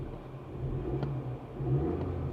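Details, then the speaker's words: Pontiac G8 GT V8 driving through gears: smooth, even low hum with steady throttle changes and no misfire; runs well, though a strange vibration with a rattling noise is noted, cause unknown. "runs well gears forward backward Park steering feels good brakes are good"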